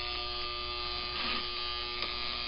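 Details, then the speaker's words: 1955 Lionel #2016 locomotive on first test before restoration: steady electrical buzz with a firm hum and no rise in speed; motor energized but not turning. "close sounds like it wants to go"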